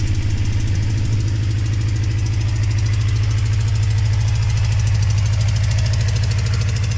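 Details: Motorcycle cold start after sitting four months: sharp, even tick about three per second riding on the exhaust beat at idle; caused by an exhaust leak.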